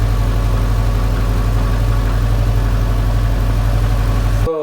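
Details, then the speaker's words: Subaru EJ257 engine, belt removed, new battery: low lumpy idle with dull knock about three times a second; still knocking with belt off, heads or bottom end suspected, cause unclear. "She's still knocking. Oh, that's okay. Honestly, it's kind of what I was expecting."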